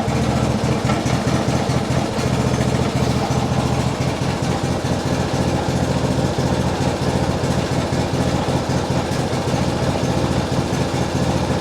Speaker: And it doesn't slow. It seems to be running. It's stuttering a little bit.